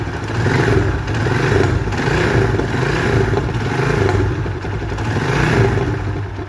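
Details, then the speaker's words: Motorcycle engine revving with a loud, rough clattering note that suddenly became loud and strange while riding; owner was told chain or check valve, but cause was a disconnected emission hose at the air filter. "طبعا صاحب الموتوسيكل جالي وبيقول لي الموتور ده صوته بقى عالي زي ما حضراتكم سمعتوا كده."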